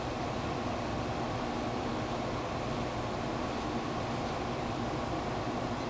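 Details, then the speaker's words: Amana 1200 W room air conditioner (rated 10.5 A) after replacing an open button switch, compressor kicked on and running at 7.2 A; smooth even hum and airflow, no knocks, rattles or surging: normal running. "and it just kicked up and it's running at 7.2 amps"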